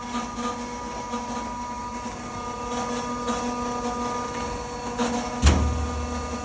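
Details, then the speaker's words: Propane bus-refuelling dispenser pump running after activation, loud: steady drone with a few fixed tones that never waver or knock; normal pump operation. "On entend l'activation de la pompe et il va se mettre à rouler. On attend à peu près, ça prend 10-15 secondes avant qu'il soit prêt à avitailler. Je vais m'éloigner juste parce que c'est bruyant, mais on prend tout le temps des gants pour tanker à propane."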